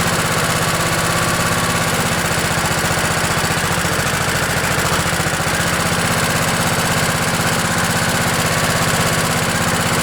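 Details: Craftsman LT1000 lawn tractor with a 16 hp Kohler Command OHV single, cold-started on choke at about 20°F after an ice storm: it fires up and holds a steady, even thumping idle with no knocks or stumbles; normal idle.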